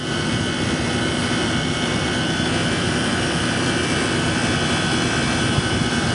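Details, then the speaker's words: Walk-in freezer condensing unit: compressor switched on, pressure rising from 150 to 250, constant even hum with condenser fan held off, no rattles or cycling. "so we're going to turn it on compressor is on pressure is going"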